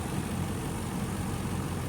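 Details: 2005 Range Rover HSE stretch limousine running after the no-crank fault was bypassed at the relay: a steady, low, even idle with no misses, knocks or hunting. The root cause is still undiagnosed, and a new relay feed is planned.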